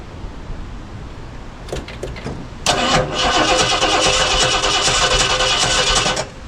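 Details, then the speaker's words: 1969 Ford Galaxie XL convertible after work in the ignition area; slow uneven cranking catches into a rough ragged burst, then dies. Owner thinks he did something wrong and it sounded like something was hitting; suspects the cap/rotor or a plug wire. "okay well judging by that I did something wrong because that should have started"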